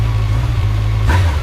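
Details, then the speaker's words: Honda Nighthawk motorcycle on a cold start at about 15°F with the choke still on: a wavering, unsettled idle with a brief surge, then it stalls from the choke. The owner thinks the carbs still need adjusting. "I think I still need to adjust the carbs there I killed it with the choke"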